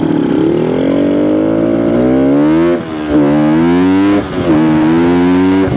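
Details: 1972 Suzuki TS250 two-stroke, with the 170 jet left in for a fuel delivery problem: crisp note rises smoothly through each rev and drops back cleanly, no stumble or bogging; sounds more responsive.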